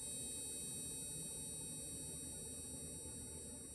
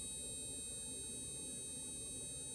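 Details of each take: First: HID headlight bulb on a bulb tester: faint steady high electronic whine for a few seconds, then abrupt cutout, as the ballast/driver detects a bulb designed for a different voltage and shuts off without damage. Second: HID headlight bulb on a bulb tester, lighting blue: faint steady hiss with thin high whine that fades as the light reaches full intensity, normal startup.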